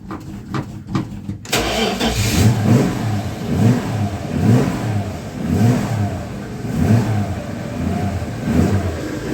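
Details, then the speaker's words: 1976 Dodge D100 slant six: extended cranking with dry carburetor before it fires and revs in uneven surges; fuel later seen pouring out of carburetor, no exhaust leaks heard after new exhaust. "let's Crank It Up see if she'll start almost come on [Music] baby carburetor is gone"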